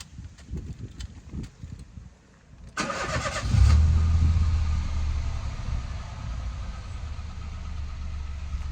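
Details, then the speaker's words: High-mileage Citroën C1/Toyota Aygo/Peugeot 107 three-cylinder after starting: cranks, catches, settles into slightly lumpy idle, sounding nicer but engine management light still on; cause unconfirmed. "it sounds a bit nicer we do still have an engine management light on"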